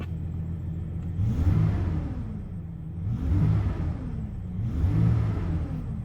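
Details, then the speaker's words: 1999 GMC Sierra petrol V-engine, 102,000 miles, warm, no check-engine light, before injector and distributor upgrade as preventive maintenance: smooth, steady idle at 800 RPM, no misses or knocks. Normal idle. "We got a steady idle right at 800 like it's supposed to be."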